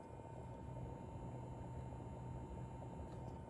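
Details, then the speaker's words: Corsair iCUE H115i ELITE CAPELLIX AIO cooler pump holding steady 2270 rpm, phone brought close to the pump: soft steady low hum with faint constant whine, unchanging pitch; gentle buzz quieter than the PC fans, running normally. "pompa delikatnie sobie tam brzęczy u mnie w komputerze głośniej niż pompa chodzą wentylatory"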